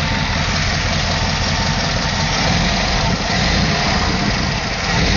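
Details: LT1 V8 idling, heard in engine bay: rough puffing tick riding the firing pulses, slightly raspy, present since purchase; owner suspects an exhaust leak, unconfirmed.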